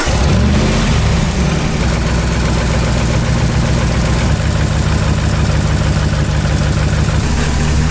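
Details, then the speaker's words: Dodge Ram Hemi V8 with rough idle, power loss and no codes: unplugging connectors one at a time to find the cylinder whose removal doesn't change the sound; deep uneven loping idle with tone shift; misfiring cylinder suspected. "You're going to audibly listen for these guys to sound a little bit different, and then if they do, good, put it back on, move on to the next one."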